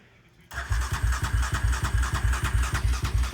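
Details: 2020 Yamaha Raptor 700R SE just after a fuel pump replacement. It cranks evenly at about three compressions a second for three seconds but never catches; cranks but won't start.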